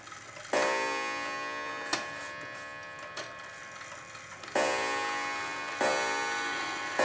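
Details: Antique clock reassembled with strike train adjusted, striking on the hour and half hour while being advanced: clear ringing gong strikes with bright metallic decay, single blows a second or more apart; strike train working normally.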